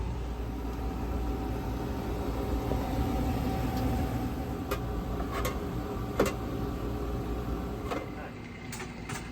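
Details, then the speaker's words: New MarinAire 11,000 BTU air conditioner on a 1983 Endeavour 43 sailboat, replacing a rattling 20-year-old Dometic 16,000 BTU unit: soft, steady airy hum with its pump running and no rattle. Normal, very quiet. "super quiet the other one was just rattling and I had to duct tape it shoot from rattling"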